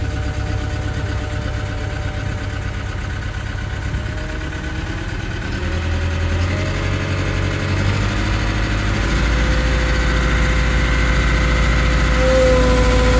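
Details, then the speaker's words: Cat 313 GC excavator at auction: a thin, violin-like high whine sings above the deep engine rumble and climbs with revs; source unknown. "this is that cat 313 GC that made that noise sounds like it's playing the violin in"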